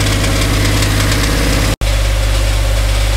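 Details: Dodge Dakota 5.9L 360 Magnum V8 at idle on a lift: a dull, uneven knock about three per second under the engine drone. Loudest spots are on the transmission; engine versus transmission is undetermined, so the converter-to-flexplate bolts are being removed next.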